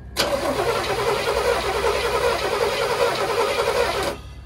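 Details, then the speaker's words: 1981 Chevrolet Corvette Turbo stored for 30 years, first start attempt with the battery installed. About four seconds of steady starter churning without firing due to lack of fuel. It fires once petrol is added. "she's standing over maybe she needs a little bit of help so what we're going to do is send a little bit petrol inside"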